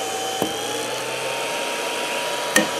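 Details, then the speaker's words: Creality CR-10S 3D printer fan. Steady high whir with two sharp ticks about two seconds apart. The fan moves in and out on its shaft, indicating a worn bearing; it is being replaced. "also this one here while I'm not making that grinding knives of noise there it is making it a bit of a tick I don't know if the camera will pick it out"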